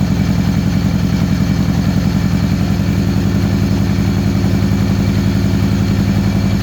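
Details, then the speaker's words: 2013 Victory Cross Country supercharged V-twin after sitting over a year: loping lopsided idle at two to three beats a second, firing on one cylinder. The front cylinder stays cold after the wire swap, so a coil and plug change is planned. "don't feel like growing running on one cylinder this front cylinder is still nice cold so we have to change those change that to a different coil and maybe change the plugs"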